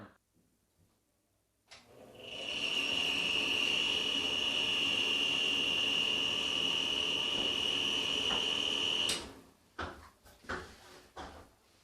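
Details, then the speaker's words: Bathroom exhaust fan starts with a steady high-pitched squeal for several seconds, stopping when switched off; dirty or worn fan suspected, likely dry or worn motor bearing, not confirmed; fix is cleaning and servicing the fan. "do you have a bath B that sounds like that or a number of other different sounds that you might hear from a dirty or worn out bath fan"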